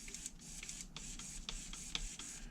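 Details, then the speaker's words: HPI Savage 3.5 nitro RC truck (.21 build) brake servo being tested: short high-pitched whirs broken by sharp internal clicks, gritty strained sound as the servo fights itself; throttle servo okay, brake servo to be replaced. "The Brak is the brake is a little gritty you can hear it clicking on the inside it's really fighting with itself"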